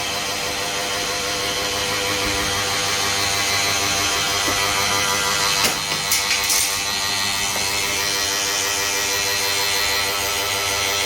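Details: Harsh, gritty grinding pulsing about twice a second from the waste toner box drive of a Kyocera TASKalfa laser printer (4002i/4053ci/5054ci series); fixed by replacing the waste toner box assembly (PARTS BOX WASTE H ASSY SP).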